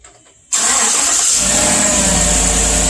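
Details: Chevy Silverado cold start after exhaust manifold leak repair, passenger side fitted with new ARP manifold bolts; cranks and catches cleanly into a smooth, quiet idle, no more exhaust leak puffing or ticking.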